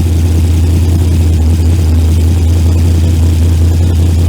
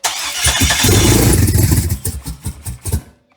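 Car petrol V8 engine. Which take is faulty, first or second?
second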